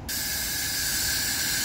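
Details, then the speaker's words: 2016 Ram 1500 with newly installed AirLift 5000 wireless air bags, dumping: a sudden loud, steady hiss of air venting cleanly with no sputter; the system works normally. "Look at it dump. All right, well, that's it. Sounds like we got a good working system."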